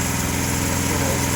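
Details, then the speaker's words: Homemade log splitter repowered from a 5hp Tecumseh to a 212cc Predator single-cylinder engine, running at low splitting speed: steady, even putter with no misses or knocks; normal running at working speed. "they're very economical this low this is low item i like the range so i think this is a good just really cool if you could split at this speed"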